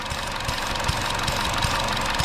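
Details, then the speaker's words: Chevy Sonic with a P0171 lean code, no leaks found on smoke test: at idle with the EVAP purge valve hoses disconnected, a constant airy hiss. The valve is stuck open sucking air, so it is being replaced. "So it's sucking up air. So this could be the problem why we're having a lean condition, that it's 171 code, too much air going in."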